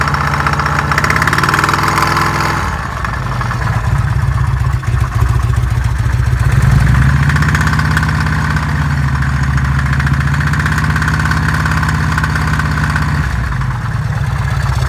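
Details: Harley-Davidson Evolution V-twin after new lifters, pistons, rings and re-honed cylinders, idling with throttle blips: odd noise seemingly from the front cylinder top end; owner cannot find cause, unidentified top-end noise.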